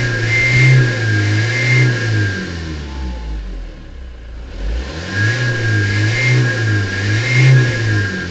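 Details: GAZ-31105 with TDI diesel revving: a high whistle rises and falls with each rev over the engine note. Turbocharger whistle, cause not pinned down.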